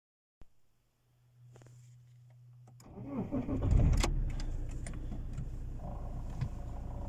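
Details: Alfa Romeo 159 1.9 JTDm 110 kW (150 hp) diesel idling in neutral with the clutch released: a steady mid-pitched hum rises over the idle from the gearbox.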